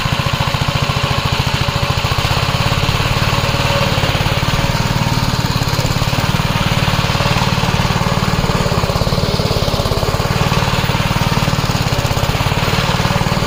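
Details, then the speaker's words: 1961 Gravely L tractor after its governor was replaced; steady, fast single-cylinder chugging holds an even speed with no surging or hunting. The new governor is working properly, unlike the old one, which had something let go inside. "But I could clearly hear the Govenor working properly now."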